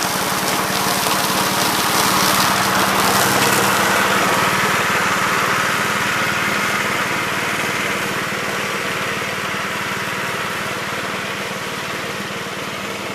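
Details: 1969 Gravely C8 walk-behind tractor after repair of no-high-range fault (drove only in low range, stop-and-go in high); morning start-up, single-cylinder runs steady and even at about 220 beats a minute, no knocks or misses; running normally.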